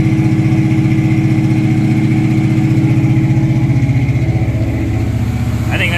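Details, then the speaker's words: 1976 Camaro with a rebuilt Holley 4-barrel carburetor and newly connected electric choke, cold-started at high 50s to low 60s °F: a steady, fast idle well above normal that stays high about two minutes. The choke fast idle is likely set too high. "yeah there it is that's really i think that's a bit of a high idle"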